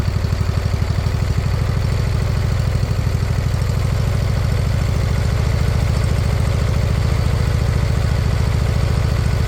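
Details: Briggs & Stratton Intek V-twin newly swapped into a mower replacing a blown Kohler Courage: even low thudding about two per second with faint speed rise and fall; slight idle surge expected to clear with fresh gas.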